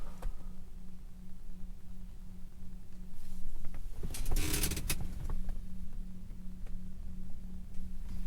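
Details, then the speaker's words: 2006–2011 Mercury Grand Marquis with Torchbeam T2 H13/9008 LED headlight bulbs, heard from inside the parked quiet car: steady low hum at one pitch from the bulbs' built-in cooling fans, quite noisy in silence. "but that is actually pretty noisy it's like a humming noise wow that is definitely noisy"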